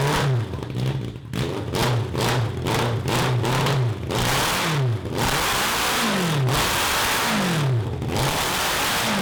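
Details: 1982 Honda CB750 engine for a cross kart, idle fine, running open pipes: revs climb hard but flatten near the top of each pull, between 4,000 rpm and redline. Lean carburetion is still starving it of fuel.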